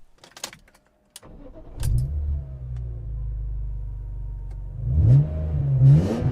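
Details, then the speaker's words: BMW E36 M3 after fixing eBay decat pipes that had triggered a check engine light and limp mode: after a few clicks engine catches, then deep even roar building hard at full throttle, no misfire; healthy acceleration. "nice to be able to full throttle again and enough to worry about having ten percenter Machpelah definitely happy with how the exhaust sounds now"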